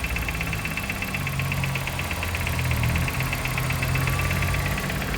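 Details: Nissan Sentra at idle, pulley already replaced with original part but fault persists: light, quick ticking about four per second over engine hum; source unknown.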